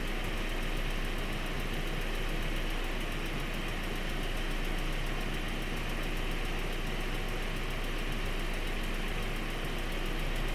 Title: 1.8t ticking noise. Part 2